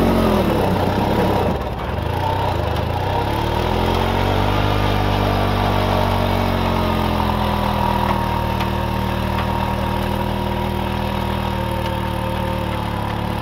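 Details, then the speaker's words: Restored 1940s Simar two-wheel tractor rotary tiller, single-cylinder engine: picks up after a dip and holds a steady, even chug under light load with no knocks; starts easily and runs smooth and healthy. "Everything seems to work just fine. Starts very easy, engine runs very smooth, lots of power, I think. Runs good."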